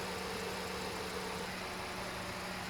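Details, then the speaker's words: 2008 Chevrolet Spark after replacing a bad ignition coil that caused rough running, revved: even, steady engine note with no misses, stumbles or knocks, running smoothly. "Now the engine runs smoothly as I rev up the engine."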